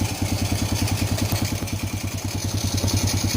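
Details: Honda Supra Fit New motorcycle after repair for heavy smoke and rough, noisy engine, engine reassembled: quick, even putter at idle with steady low thump and no ticking, engine sounding normal again.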